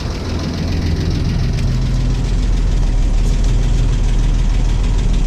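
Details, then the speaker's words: 1989 Toyota FJ62 Land Cruiser straight-six, barn find parked about ten years, 291k miles, first running after revival: light quick tick about four per second over steady idle; valve train tick from bad valve adjuster screws. "power steering works great i'd like to fix that tick before running it anymore but that's up next i'm going to pull those bad adjuster screws and see about that"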